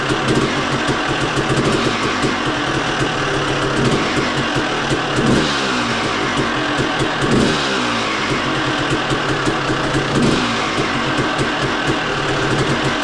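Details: Motocross two-stroke smoking heavily and blasting out oil while it crackles and revs cleanly with throttle blips. Owner suspects a crank seal that was not properly replaced rather than jetting; not confirmed.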